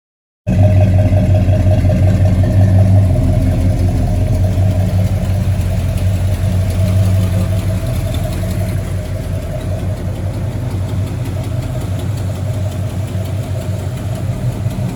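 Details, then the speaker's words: 1975 Buick convertible big-block V8, cold start: catches and settles into a loud, even, deep rumble, fast cold idle easing as it warms. Strong and healthy. "Y'all hear the cold start? It's a cold start. Hey, this thing is a beast."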